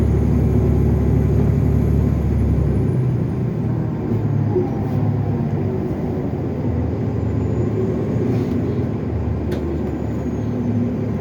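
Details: 2015 NovaBus LFSA hybrid bus, Cummins ISL9 330HP with Allison EP50, in service: steady high-pitched turbo whine over the engine drone, dropping in pitch as the bus slows; cause unknown.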